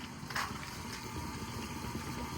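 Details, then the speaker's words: Radon mitigation system run under the slab of a 30-year-old basement addition, fan running 24 hours a day: steady airy drone with low hum, noisy as normal, partly hidden by a facade wall. "you can hear the fan what's the disadvantage with this type of system that fan runs 24 hours a day and it's noisy as you can hear that's why again the facade hides most of that noise that's behind it"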